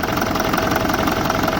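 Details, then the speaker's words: BMW E65 4.4 diesel V8 (242 kW), EDC16C31 ECU, engine idling with four of eight injectors not working during an injector check, two working per bank; lumpy, uneven, knocking diesel idle; rough idle from dead cylinders, runs like a four-cylinder. "so four of them is not working at all so that's why you have a feeling then you have a four single four-cylinder engine in a place of eighth one because everything is if it's fine it have to be just smooth and perfect"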